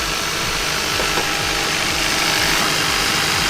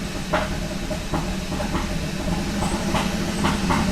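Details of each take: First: Kia Ceed GT with a cold-start misfire, coolant temperature sensor unplugged: even, steady idle with no stumbles, ticking over fine, no misfire; owner suspects the coolant temperature sensor is involved in the misfire. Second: Kia Ceed GT with a long-running cold-start misfire, after swapping coil and spark plug 4 with coil and plug 1: rough, uneven running with random stumbles and puffs, now misfiring on all cylinders with the engine light on and no throttle.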